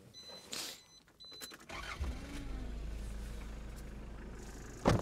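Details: Mitsubishi Pajero 2 (1991-1997) with 4D56 diesel, balance shafts removed: dash chimes, then it starts and settles into a heavy, droning idle with a coarse rumble and shaking, apparently cooled down.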